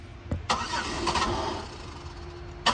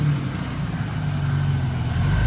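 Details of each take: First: Buick LeSabre Limited 3.8L V6, originally with a battery drain complaint, fitted with a used 2005 Monte Carlo 3.4L engine computer: steady, rhythmic starter cranking at about three pulses a second that never catches. Crank-no-start from the wrong ECU installed. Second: Buick 3.8 L V6 that cranked but wouldn't start, now running after a replacement used engine computer was fitted: steady, even warm idle rumble with the cooling fan kicked on and whooshing; healthy, and the car drove well.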